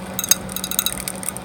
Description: One of the case fans in my home server has started making clicking and ticking noises, and visibly wobbling on its axis.